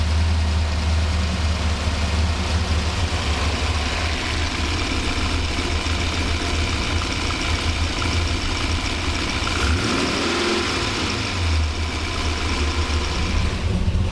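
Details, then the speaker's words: 1985 Monte Carlo SS with a cammed 6.0 LS, first start on all 8 cylinders: an even, steady V8 idle with a strong cam note and quick throttle response, though still a slight stumble at light throttle. "She sounds good, but still has a slight stumble at light throttle."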